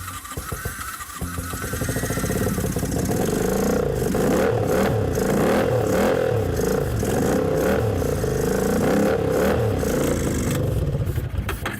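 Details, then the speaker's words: Honda CX-500 motorcycle that wouldn't start, run on pure starter fluid: rough uneven clunking knock about three to four per second over harsh revving; possibly rod knock, piston slap ruled out, unconfirmed. "That clunking? >> Oh, I wasn't hearing that. It might be rod knock, my friend."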